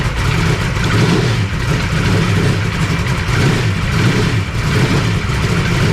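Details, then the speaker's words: 1991 Michael Waltrip Pennzoil Pontiac Grand Prix NASCAR road course car, restored 2007, cold start: loud, lumpy V8 barely holding idle with steady throttle feeding; it doesn't idle well cold, so it's being warmed up before it settles. "Now, I will say that it does not usually like to idle too well when it's still cold, so we'll just play with it for a little bit and let it warm up, and then hopefully we can get it idling and see what she sounds like."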